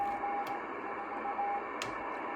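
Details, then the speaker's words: Argonaut 2 ham radio receiver, bought secondhand on eBay, first power-up in lower sideband mode: even hiss of band noise with brief carrier tones and static crackles, no hum or distortion; normal receiver band noise. "There we go. That sounds pretty reasonable."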